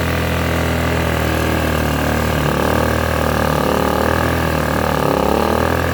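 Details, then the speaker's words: Blackridge 800 W inverter generator, bought used after sitting unused, running on poor-quality fuel. Steady, even drone at constant speed with no misses, knocks or surging; nothing appears wrong. "but appears to be nothing wrong with it it's running on some shitty fuel"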